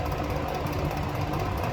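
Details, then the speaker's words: Eskimo two-speed box fan running; steady low rumble with a loose, busy rattle while the fan spins, nothing seen in the cage; owner suspects something loose in the motor. "It's gotta be in the motor or something. Probably something's loose because it only happens when the fan's running, when it's just spinning on its own."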